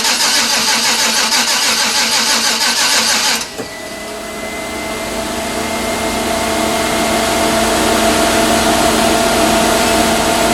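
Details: 1992 Chevrolet Silverado, 5-speed, turbocharged 5.3 LS swap: steady starter churning at about three turns a second with no catch, then stops; fuel present, so fuel-fouled spark plugs are suspected as the no-start cause.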